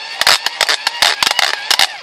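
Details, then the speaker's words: Eton hand-crank USB charger: harsh, gritty rasping in bursts about four to five per second with each crank turn; owner suspects plastic internal gearing worn after about an hour of cranking, less bad in other direction, slips. "you hear that terrible grinding noise that's the mechanism inside must be plastic it lasted for about an hour of cranking"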